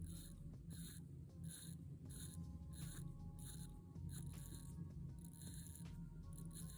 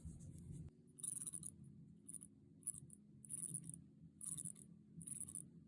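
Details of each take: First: Orient Bambino 36mm watch, in-house F6724 movement with hand winding: faint, quiet bursts of fine ratchet clicks in short strokes while winding the crown, even and smooth, nothing catching; normal hand-winding ratchet. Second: Orient Bambino 36mm watch with the in-house F6724 automatic movement and bi-directional winding: in a quiet room, short bursts of light metallic whirring come every second or so as the rotor swings; the rotor is somewhat noisy.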